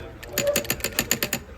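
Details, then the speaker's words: EGR solenoid bench test, wired to power and ground, one wire to ground: tapping gives about eight crisp clicks a second as the solenoid snaps over and visibly moves; normal solenoid operation. "And if we tap that, you can hear the solenoid activating and you can see it move."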